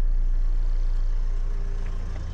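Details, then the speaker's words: Renault Espace IV 2.0 dCi diesel after fuel filter change: steady, smooth low rumble at idle with no knocks or misses; started fine, no fuel leak; normal idle. "mais logiquement si ça démarre c'est que tout va bien donc là tout va bien"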